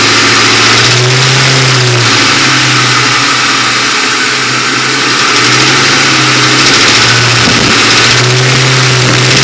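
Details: 2001 Mustang GT V8: rhythmic clacking knock only between 1000 and 1500 rpm, quiet below and above; timing chains and tensioners replaced with no change, cause unknown.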